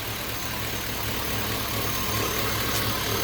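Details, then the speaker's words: 5.3L LS-swapped S10 with 300M/Intrepid fans, hot idle, no leaks: smooth, even, lumpy V8 burble with steady pulses, no ticks or exhaust puffing; engine and exhaust sound healthy. "Engine sounds good. Exhaust sounds good."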